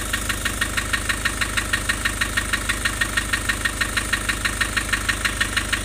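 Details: Nissan Urvan Estate with ZD30 (E25) diesel at idle: sharp, very even knock about three times a second over the rumble; rough idle with white smoke, compression loss stated.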